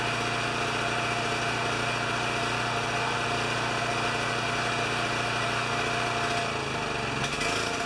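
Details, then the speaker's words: Champion 3000 W generator, brought in as a non-starter, running after fiddling; doesn't run like new, has been around the block, oil change next. Steady governed speed with an even buzz, no surging or misfire, then winds down at the end; normal running. "so it doesn't doesn't run like you're a new one but you can tell it's been around the block a few times"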